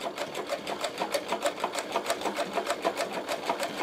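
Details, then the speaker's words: Servo motor on a Podolsk sewing machine, speed capped at 500 rpm and set by pedal, sewing a leather scooter seat; quiet, even stitching about three beats a second, no motor hum or knocking: servo nearly silent, sews smoothly. "Видите, это работает. Теперь всё работает. Вы это слышите? Ничего не слышно."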